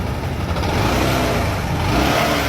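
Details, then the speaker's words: Bajaj Discover 150 ST single-cylinder bike brought in for an ugly engine noise (owner says only cam chain); reference of how a healthy engine should sound: smooth, steady, quiet running with no ticking or clatter over the exhaust. Normal running. "un motor completamente Silencioso este motor está llevado el listo"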